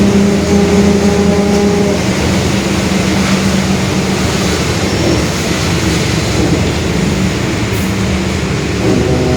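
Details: 2021 Marcopolo Torino S bus on a Mercedes-Benz OF-1721 Bluetec 5 chassis, recorded onboard while cruising: a low droning growl under the diesel holds steady with road speed, pointing to a growling differential.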